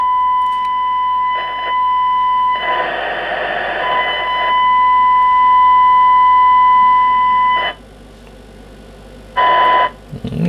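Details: Kenwood TS700S receiver under repair, fed a signal generator at 1 kHz FM with 5 kHz deviation: clean, steady tone cutting in and out with hiss bursts as the squelch opens and closes. Some relay contacts are bad and hum is noted.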